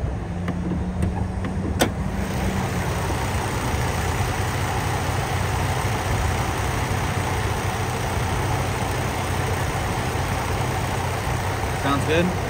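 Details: 2006 Chevy Trailblazer LS, six-cylinder automatic, possibly about 292,248 miles, reversing: steady even low engine rumble, no knocks or rattles; normal running.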